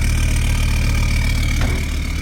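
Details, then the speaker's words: Land Rover Defender TD5 diesel first starting after a new starter motor cured no-start issues (crank sensor, wiring overlay and ECU already done): steady diesel clatter at idle with the even, high TD5 turbo whistle, healthy. "get to enjoy the uh joys of popcorn again now nice that's been a while"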